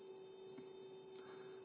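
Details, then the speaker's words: MP9486A buck regulator under load: faint steady tone near 500 Hz; burst-mode switching repeats every 500 Hz, in the audible range, making the inductor sing, confirmed by probe on the switching node. "sono proprio le commutazioni a Burst che danno questo rumore questo perché credo anzi non credo ma vedo chiaramente Qui si legge la frequenza che [Musica] E perché queste commutazioni Avvengono ogni 500 Hertz Quindi ovviamente ricadono nell'udibile"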